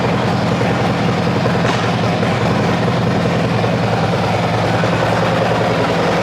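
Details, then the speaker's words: Cammed Harley-Davidson V-twin bought from Copart, first start: steady deep rumble with loud even throaty exhaust, no knocks or misses; normal running. "We've got power, guys. You hear the vroom vroom on that thing."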